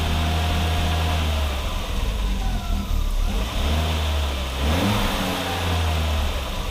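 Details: 1987 Audi 5000 CS Quattro turbo, CIS injection, after new fuel injectors and spark plugs: steady, even engine note through light revs back to idle, no stumble or hesitation, no startup stutter; normal running.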